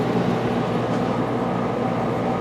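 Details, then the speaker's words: 1995 Starcraft Stardust pop-up camper AC working hard: loud, constant compressor and fan roar, steady, no rattles, cycling or stalling; healthy, normal running under heavy load. "i think the issue we had is we had it was running hard and we didn't have our curtains up helping keep some of the heat out so oh that didn't help any making it run even harder and she's blowing pretty good"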